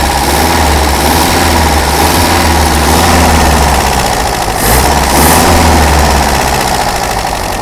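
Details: Daihatsu F20 4x4 carbureted engine cold with a little choke until warm, timing slightly out: steady even idle slightly raised with mild drift: normal cold idle on choke.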